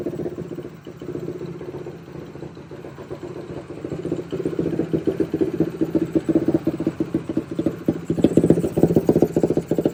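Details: Quadracer LTR450 ATV that won't take throttle: an uneven, stumbling single-cylinder beat that surges and sags instead of climbing. Fuel starvation from a clogged injector and restrictive inline fuel filter; a friend advised removing the filter.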